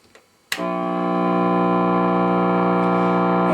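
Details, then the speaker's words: Guitar amp with ISP Decimator G-String in the effects loop, attenuator at -12, loop off: thump then a sustained buzzing squeal growing slightly louder, goes quiet when pedal pressed; ground loop from non-isolated effects loop suspected. "and yeah we've got a bit of a squeal now which is also on the effect Loop still goes dead quiet when I press the pedal"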